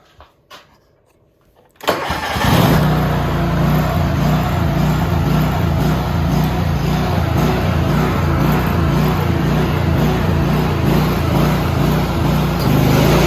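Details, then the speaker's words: Worn John Deere tractor with snowblower fitted, PTO running after the belt tensioner was freed: steady drone with a faint recurring lurch as the drive belt pops off every few seconds; cause is a worn, bent-down belt guide; the belt also has cracked ribs. "Anyways, that's what was causing the belt to pop off every couple seconds."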